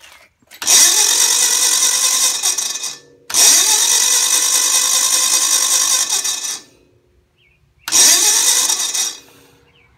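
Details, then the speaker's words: Gravely 450 Onan CCKA engine, spark plugs removed, roughly 45-year-old original starter: three short high free-spinning whirs with no cranking rhythm; owner blames a sticking Bendix and a tired starter, later replaced with a new starter. "stupid Bendix stickin up piece of junk here that bend exit pump I think this this starter is a little tired"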